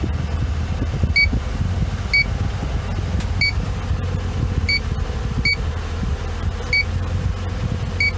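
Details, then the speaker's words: BMW R50 MINI A/C, engine and blower running: an electronic leak detector held at the top vent chirps irregularly, just barely picking up a very slow evaporator core refrigerant leak that is hard to pinpoint. "there's a very slow leak but if you just barely detected unfortunately though this is one of those leaks that you really can't find on a car with the leak detector guy"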